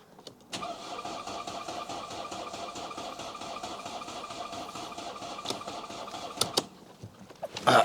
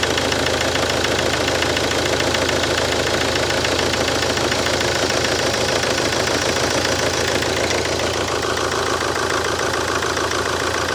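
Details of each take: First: Mercedes C-Class, just refitted engine, fuel pump heard priming through the filter, spare battery: cranking drags evenly for several seconds without a single fire, then stops; sounds like a tired battery. Cause suspected, not confirmed. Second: Mercedes C-Class, first start after engine refit: engine holds a continuous even idle, a touch lumpy but clean with no knocks or misses, power steering whining; owner hopes lumpiness clears – normal idle.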